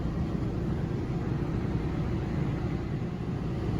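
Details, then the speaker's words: 2020 Thor Freedom Elite RV generator after its 30-second warm-up, powering AC, microwave and outlets: constant low rumble at even pitch, no surging or knocking; normal running under load. "After you start up the generator, it does take about 30 seconds before the power will actually come on. That's just the warm-up cycle for the generator."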